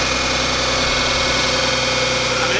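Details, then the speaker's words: The 300 after repairs: steady, even idle with a smooth hum, no misses or ticking; normal idle. "dude it sounds great dude I think we got it"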